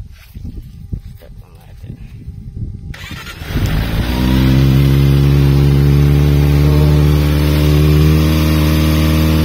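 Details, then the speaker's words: Kawasaki ZX-25 cold start after the cam chain tensioner was loosened, set to one click and retightened: starter whirs, engine fires and holds a smooth, even high cold idle. The typewriter-like top-end rattle heard before on cold starts is gone. "Typewriter sa loob ng makina na kapag pagka cold start nyo pa lang, maririnig nyo na talagang nagkakalampagan sa loob ngayon, tumahimik siya."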